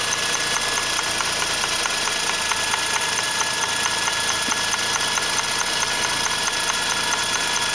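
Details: 2004 Mazda RX-8 rotary at idle, drives fine: steady idle with a light tick from the intake area a bit over two per second; fixed by rebuilding the secondary shutter valve (SSV).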